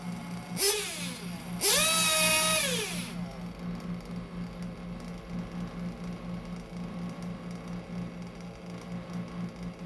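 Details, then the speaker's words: 1/8 RC nitro engine after the high speed needle is leaned: two crisp blips that climb and fall back cleanly, then a steady burbling idle; idle sounds good, revs pick up nicely and the high speed needle is well set. "idle sounds good revs pick up nicely high speed needle is good"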